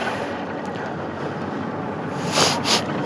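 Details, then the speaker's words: Hero Honda Hunk 150 after complete engine repair (previously smoking and leaking oil): revved in neutral, smooth, even engine note rising and falling with some wind; runs healthy and clean. "आवाज सुनो भाई कितनी देखो कितनी मस्त आवाज है। क्योंकि भाई नया हो चुका है सब कुछ ना पूरा धुआं वगैरह फेंक रही थी उस टाइम पर"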